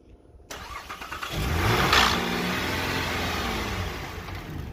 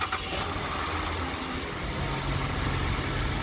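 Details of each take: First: 2013 Chevrolet Trailblazer that cranks but won't start; after petrol is poured into the intake it cranks briefly, catches and revs, showing the fuel pump isn't delivering fuel. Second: 2013 Chevrolet Trailblazer after a crank-but-no-start diagnosis and repair, final check after starting: engine settles into a smooth, even idle with no misses or tapping and no warning lights; runs normally.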